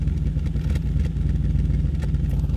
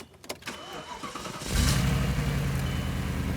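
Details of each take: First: C5 Audi RS6 V8 bought at auction with check engine light, idling: uneven idle with irregular low thumps and stumbles, intermittent misfire returning, cause not yet found. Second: C5 Audi RS6 bought at auction, check engine light on, owner reports misfire at cold starts; already started once and moved briefly. Brief crank, then catches and settles into an even, steady idle with no stumbles; no misfire this time.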